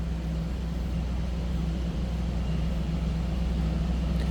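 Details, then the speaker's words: 1984 Chevrolet Camaro Z28, V8, 31,514 miles, cold start warming up: deep steady idle with even low burble, no ticking or knocking from the top end; healthy normal idle. "That was a cold start, so we're gonna let it warm up here just a little bit. See where we end up with that idle. Sounds pretty good."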